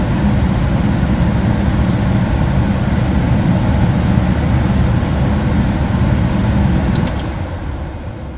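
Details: Gas furnace that was blowing cold air, after pressing in limit switch (L160, 160°F) to reset it: even low air rumble without cutting out or surging, winding down near the end; working, switch needed resetting or replacing.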